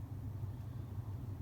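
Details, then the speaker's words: 2004 Ford F-150 with 4.6 L Triton, codes P0300, P0302, P0306; runs rough since the owner replaced all ignition coils. Lumpy idle with uneven low thumps; short-term fuel trim 23.4 shows a lean condition, intake leak suspected: misfire at idle. "now that we have the engine running you could feel the misfire"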